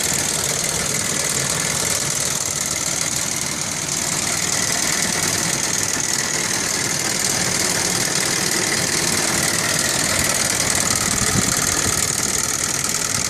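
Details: 1998 Audi 2.8 V6 5-valve at idle with loud rapid ticking clatter from the front of the driver-side valve cover, loudest up top; valve train noise, owner suspects chain tensioner fault.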